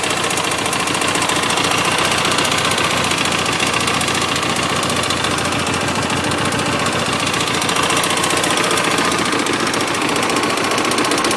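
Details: 2007 Hyosung GT250R after a highway ride: fast light top-end clicking/clatter at idle, about three to four ticks a second, present only at idle and low rpm and fading above about 4000 rpm; owner suspects valve adjustment or cam chain tension, unconfirmed.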